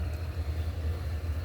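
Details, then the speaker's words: 1959 Axeman-Anderson 130M coal stoker boiler with its original oil-filled fan setup: low, steady hum with no rattle, rubbing or bearing growl; the combustion fan runs smooth and quiet, unlike the adapted AHS fan assembly. "well I guess we'll have to try to see if the AHS can become this quiet"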